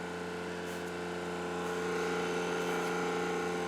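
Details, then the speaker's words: Xbox Series X bought used, disc drive with cushion present: steady loud whir with firm mid-pitched hum through the spin; still far too loud, owner wonders if rubber is missing. "so the drive cushion is there so you can see the rubbery thing there but it's still loud as hell"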